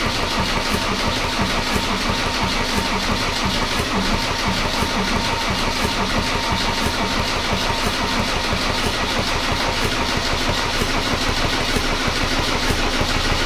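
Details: Mercedes W124 OM606 turbo diesel project, first start attempt on new battery, fuel verified coming out in weak spurts: steady starter cranking about three compression pulses a second, no firing or catch; cranks but won't start, cause unconfirmed.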